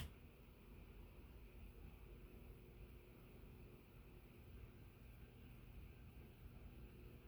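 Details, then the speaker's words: Sears/Emerson Turn of the Century 40-inch ceiling fan, KB55 motor, on solid-state speed control: only a faint steady low hum and thin whine, normal and surprisingly quiet, bedroom-quiet. "So far, surprisingly quiet. Wow. That's the worst of it. Should have gone with bedroom."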